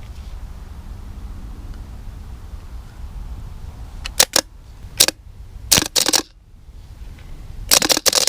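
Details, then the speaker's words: 1967 Pontiac Grand Prix that sat in the dirt since 1996, starter tested with negative grounded to the starter and positive on the solenoid: several short sharp whirring bursts, each spinning up cleanly with no grinding; starter works. "the starter works so that's something"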